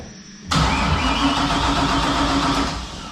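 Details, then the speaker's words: Nissan 240 LS-swap drift car, engine grounded directly to battery, battery on charger: brisk, steady cranking at about four beats a second, faster with more voltage, but never catches. Crank no-start, no spark. "What heck? No Right. spark issue. What do you want this wrench? Why the heck do we not have spark?"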